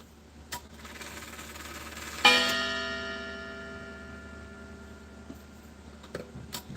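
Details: Chiming clock whose movement runs but doesn't tick and otherwise sounds like a coffee grinder: one bright chime strikes and fades slowly, no steady tick audible beneath.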